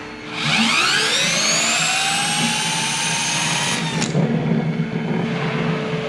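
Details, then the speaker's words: Hyundai Kona Electric drive motor (about 30,000 km) removed and spun by hand on a bench with wooden supports: it whirs up, then coasts down with a dry, rough crackle underneath, from a rusted rotor bearing that matches the roar heard on the road. "Et maintenant je l'ai fait tourner et vous pouvez entendre qu'il y a un craquement qui se fait entendre sur la voiture maintenant je vais essayer de le recréer"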